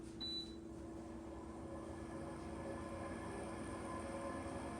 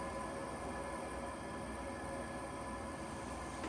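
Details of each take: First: Vollara Surface Pro air purifier, about five years old, after servicing and oiling the fan to cure a rattle: low steady hum with no rattle or squeal; normal, much quieter fan running. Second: Vollara Surface Pro air purifier, about five years old, shortly after servicing and oiling the fan: constant whirring hum with faint clicking returning; rattle noise back, owner wonders if the motor is shot or oil needs to work in.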